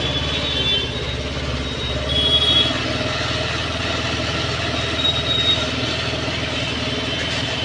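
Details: A Honda Activa BS6 scooter, started after a sensor problem repair with the hose clamp tightened, ticks over at a steady, even beat with light mechanical chatter and no hunting or stalling; idle is normal.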